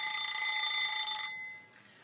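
High, bright bell ring lasting about a second then dying away, the usual countdown-finished ring of a wind-up kitchen timer.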